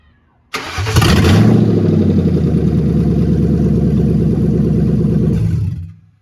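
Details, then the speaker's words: 2004 Mustang GT 2V V8 after installing a new wire harness, started on a borrowed battery with no radiator fitted; quick crank catches at once, brief rev, then a smooth even burble for five seconds before shutdown, healthy. "so like i said i got the battery out of my mach 1 and then it started right up"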